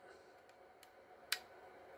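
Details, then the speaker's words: Glock with aftermarket trigger, slide lug pushing connector over during a failure-to-reset diagnosis: one crisp, sharp click as the cruciform pops back up, reset working normally. "you can hear it clicking pops right back up"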